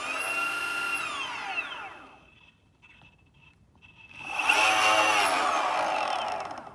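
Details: Boosted Stealth electric skateboard back left motor, whine sweeping down and spinning back up with harsh rattling click audible blocks away; wheel and wheel bearings ruled out, fault in motor, replacement motor received.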